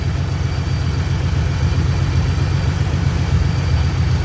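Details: 2011-14 Ford Mustang 3.7 V6 with BBK catted X-pipe, recorded under the car after repairing a header flange leak (stripped threads re-tapped, new bolt): deep, even idle rumble, no puffing or ticking; sealed, healthy.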